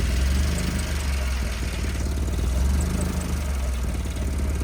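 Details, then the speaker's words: 1976 Porsche 911S with swapped Honda K24A engine, fuel pump primed then cold start: steady low rumble with slight lazy rise and fall while warming, otherwise even; normal cold idle. "I let that fuel pump. You can hear the fuel pump come on. I tend to with that, and that's cold, so it's a little. Let it warm up for a second."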